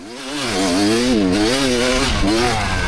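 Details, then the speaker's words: Kawasaki KX250 two-stroke, about 25 years old, riding off-road: revs waver and sag repeatedly as throttle opens, warbling instead of climbing cleanly; bogs every time on the gas. Rider suspects jetting, unconfirmed. "Okay, so that's what kept happening. Every time I would get on the gas, it would be like, wah, wah, wah, and keep going."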